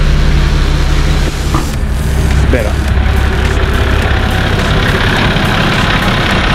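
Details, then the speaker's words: Nissan Patrol TD42 diesel after installing a new UFI fan, with a broken-off shroud tab that had been hitting the fan now removed: loud steady idle with an even airy fan hum, no rubbing or rattling, moving more air. "better can hear the fan hum sounds a lot better than the old one it sounds like it's actually moving a lot more air"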